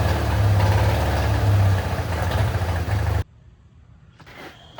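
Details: 1966 Mustang on a lift, restarted in neutral after sitting about 5 years; deep loud open-exhaust rumble with even pulses about four a second, then cuts off. Normal idle.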